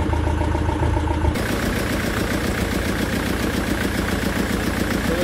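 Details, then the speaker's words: Land Rover Defender Puma 2.4 TDCi, first start after rebuild with new wiring loom and oil pump, fuel system bled: brief cranking, then catches and settles into an even, steady diesel idle; starts and runs healthy. "what quite pleased that our well that started very good very good"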